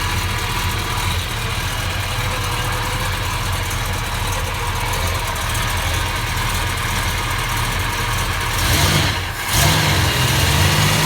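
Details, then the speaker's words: 1969 Plymouth Road Runner 440 V8 with rebuilt carburetor and new exhaust, on arrival as a project: even, lumpy idle held steady, then a quick throttle blip; smooth, healthy engine. "It sounds good though. Sounds really good. Oh man, there's nothing better than that smell. Best smell in the world. A nice smooth idle."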